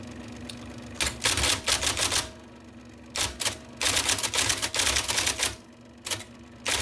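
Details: 1979 IBM Selectric II (non-correcting), revived after fixing a miswired plug and cleaning and lubricating: quick bursts of crisp, sharp, definite key strikes about four a second with quiet pauses; normal typing.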